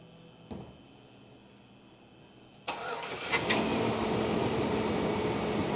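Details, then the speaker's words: 2012 Chevy Malibu, 4-cylinder, used E37 PCM, no crank no start: engine cranks and catches to steady idle once the PCM ignition feed pin is powered with a power probe; open circuit from the 20 A fuse. "No power? Yeah, no power. No power down to that pin there."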